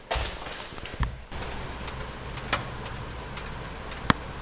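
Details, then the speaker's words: S62-engined car just driven, its first run in about three months; a few sharp, scattered metallic ticks a second or two apart over a low hum as the hot exhaust contracts while cooling, harmless. "something can you hear that that's exhaust clicking it just ran for the first first time in 3 months or something"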